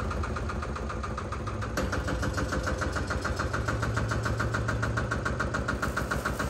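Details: Single-cylinder Lister diesel on a Benford TS25 radial swing concrete buggy, recently repaired, fresh oil, low hours, new tires. Slow, heavy thumping about three and a half a second, steady and even, no extra knocks; healthy running.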